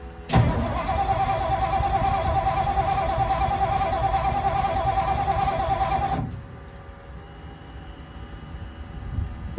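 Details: 1960 Ford Sunliner 352 Thunderbird V8, mechanical fuel pump swapped for electric pump wired to ignition with inline fuse: steady electric whine for six seconds under starter, slow to catch while fuel arrives; carburetor and fuel filter issue suspected.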